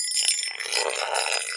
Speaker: Now, one of the easiest ways of telling if something is drummy is to rub a metal object over it. Now, you can hear that actually sounds quite hollow.